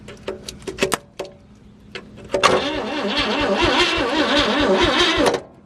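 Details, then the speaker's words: 1956 Chevy, big six-cylinder with three-on-the-tree, not driven in 20+ years, first crank on a fresh battery; a few clicks, then three seconds of even cranking at about three pulses a second, never catching; no spark seen, fuel system cruddy. "it definitely doesn't look like she's sparking all right let's clean those up"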